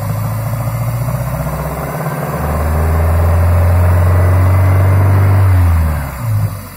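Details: Toyota Sera with 5E-FHE engine: idle with fast, even tapping about four per second, then a rev where the knock rides under the engine note; engine knock, source not pinned down.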